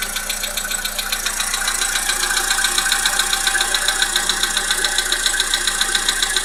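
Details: Volkswagen Polo Sedan 1.6 CFNA engine at even idle with steady sharp tapping, roughly two per second; engine knock, source not pinned down.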